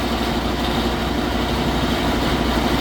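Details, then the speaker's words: Trane unit at a restaurant, condenser fan motor bumped on: constant coarse roar with rough uneven low hum underneath; condenser fan motor failing but not drawing over its rated amps. "it's also like a condenser fan motor going down in there but it's not over amping so that's a plus yeah that's a problem that sounds like"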